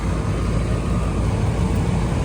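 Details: Barge air-conditioning condensing unit after a startup delay: compressor and outdoor fan humming steadily, no clicking or rattling; 49 A startup, 4.3 A run, 50-degree supply air; running normally.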